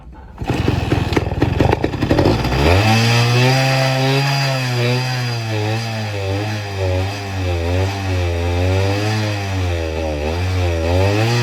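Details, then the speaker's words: 1972 Suzuki RV90 Rover VanVan with aftermarket eBay carburetor: small two-stroke starts only on starting fluid and buzzes unevenly with wandering revs, won't idle despite every adjustment; owner blames the aftermarket carb. "it would start if you spray a starting fluid, but it won't idle."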